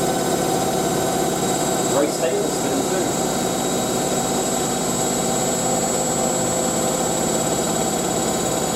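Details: Hotpoint 9530 Electronic 1000 Plus washer spinning a large towel load after a boilwash: steady smooth whirring drone at high speed, no thumping or slowing; normal spin cycle.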